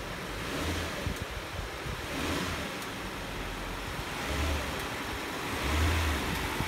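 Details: 2002 Nissan Maxima GLE after replacing the front electric motor mount with a Marmon Ride Control unit, air intake duct still off: it idles and revs cleanly and the resonance is way down. Normal running.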